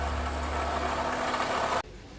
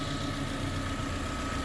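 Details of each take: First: Chevrolet Corsa Classic 2012 VHC-E engine with strange noise, water pump suspected, pump changed about three months earlier after thermostat failure: idling with steady low hum and faint whirring tone, pointing to worn water pump bearing. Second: Chevrolet Corsa Classic 2012 VHC-E engine after water pump refit and timing set: smooth, steady idle, even low hum, no knocking, whining or grinding; the noise is gone, normal idle.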